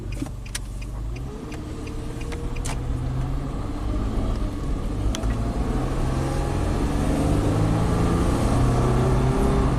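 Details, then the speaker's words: 2006 Nissan Xterra, 209,000 miles, test drive: engine pulls smoothly as speed builds under road noise, no miss, knock or hesitation; runs great, though bank 2 runs significantly richer with a P2A03 bank 2 air-fuel sensor code under diagnosis. "I mean, the truck runs great."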